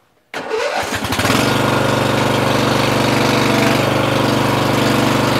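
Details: Murray 14.5hp 42-inch lawn tractor, Briggs & Stratton single-cylinder OHV, after fixing a bad ground. Catches at once, settles into a steady even beat, no stumbling or misfire; starts, charges, drives and shuts off properly; normal running.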